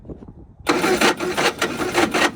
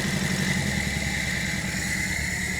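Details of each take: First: 1960 Triumph Herald dormant 42 years, first start attempts: slow starter cranking then a second of ragged catching bursts that die away, nearly fires; fuel leaking from the carburetor fitting, possibly too much fuel getting in, bolt seems stuck. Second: 1960 Triumph Herald dormant 42 years, first run after correcting the owner's mistake: steady, even chug of about four beats a second that fades after a few seconds; engine running.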